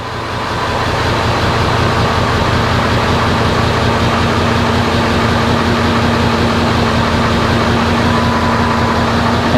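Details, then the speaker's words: 2000 Ford F350 7.3 Powerstroke diesel after priming the fuel system: steady, even diesel clatter at idle with no stumbles or misses; earlier rough running was due to no fuel; now running smoothly. "oh yeah this old truck sounds good that's why I was running so rough there was no fuel"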